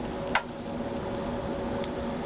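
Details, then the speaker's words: 1938 Hallicrafters S-20 receiver on a dim bulb tester after restoration work: only faint hiss, low hum and clicks, no stations. "All right, I'm hearing some static."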